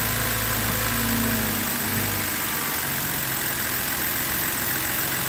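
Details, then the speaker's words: BMW X3 3.0L six-cylinder after a spark plug change, after a rough start: steady, even, smooth idle with no misses; engine has smoothed out, though an intermittent coil is still suspected. "But it seemed to smooth out now."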